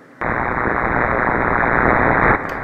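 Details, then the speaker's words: Ham radio receiver on the 80 m band: harsh, even broadband hiss that doesn't change with tuning, easing off when the outside porch lights are switched off; RFI from the LED porch light or its calendar-based timer switch. "I shut it off it's noisy now I'm gonna shut the lights on off outside much quieter so I have determined that one light outside is making noise or the switch"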